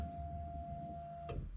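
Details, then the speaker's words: VW Passat B7 2.0 TDI common rail, fuel pump activated from a diagnostic scanner: short, quiet, steady electric hum as the pump builds pressure and purges air to the tank; working normally. "Idzie pompa paliwa. Słychać jak buduje ciśnienie."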